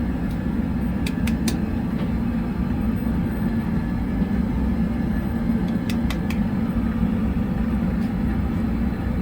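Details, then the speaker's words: Oil-fired hot-water heating furnace fired by calling heat on the basement zone while troubleshooting Taco zone valves: constant low even roar of the burner flame with a few faint nearby clicks, loud enough to mask the circulator pump; normal burner operation. "So, yeah, that fired. So we turned the heat on in the basement, and that fired it."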